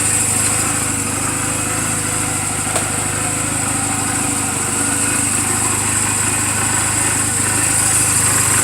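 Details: 2007 Honda Rebel 250 idling in neutral just after an oil change and valve clearance adjustment: an even, steady putter with no ticking, knocking or hunting. The charging voltage reads about 13.0–13.4 V while running. A normal, healthy idle.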